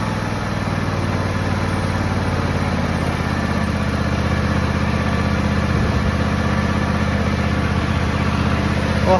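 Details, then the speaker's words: John Deere X304 lawn tractor, sat probably about two years, carb never cleaned: the engine is hot and idling steadily and smoothly with no surging or hunting after being revived. Normal warm idle. "it runs pretty good for not having any for not cleaning the car of any at all"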